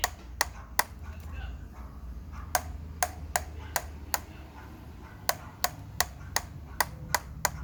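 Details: OneWheel+ at about 135 miles clicking while rolling, with sharp dry clicks two or three a second. It started around 100 miles, went away, and has returned louder. A bad wheel bearing is suspected but not confirmed.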